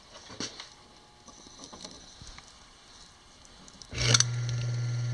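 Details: Old piano electric motor reassembled after armature removal, powered up: starts instantly into steady even low hum with no stumbling; healthy running motor after repair.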